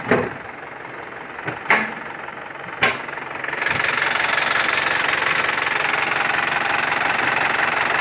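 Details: Isuzu Panther LS 2008 diesel; a few handling clunks, then the engine fires and holds an even clatter at idle with no missing beats; normal healthy idle.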